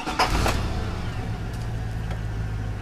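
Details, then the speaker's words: V8 with check engine light blinking, misfire graph on scanner, firing order 18726543, just started: rough uneven idle with a lumpy stumbling beat; misfire, cylinder 2 near off the scale and cylinder 6 also misfiring. "oh boy look at that okay so number two is going right to the top almost off the scale and number six also has a good misfire too"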